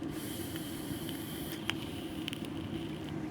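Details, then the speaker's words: Soft sizzle with a few sharp pops after the fire button is released, as the hot SS316L soft wire vape coil keeps crackling while it cools. The mod battery is nearly dead. "let me see it's still popping crack and I let off the button popping a Kraken"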